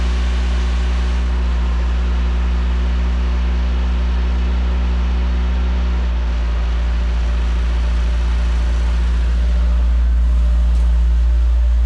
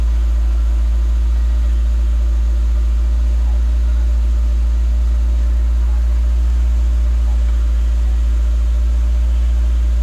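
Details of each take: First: Peugeot 205 1.9 GTI off the road 15 years, cold start: steady engine hum idling high, easing down slightly as it warms but still a little high; owner suspects a faulty airflow meter. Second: Peugeot 205 1.9 GTI off the road 15 years, running after a wire reconnected to the starter solenoid: steady low even petrol idle with no knocks, misses or rattles.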